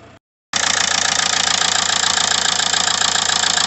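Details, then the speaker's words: After the connection was wire-brushed and reassembled: steady, even diesel clatter at about 3–4 beats a second. Healthy idle, fault sorted. "now we've wire brushed that up put it all back together and hopefully it should be fine that's we started"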